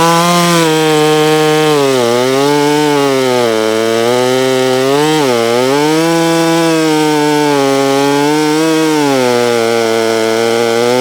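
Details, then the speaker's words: Holztfforma G660 chainsaw, milling after top-end power loss, while still warming up; a strong, steady high buzz dips only slightly under load and recovers smoothly, where before it couldn't stay in the cut: normal full-power cutting. "I'm pretty happy to see that. Still idling down. Before I couldn't, I wouldn't be able to stay in that cut like that."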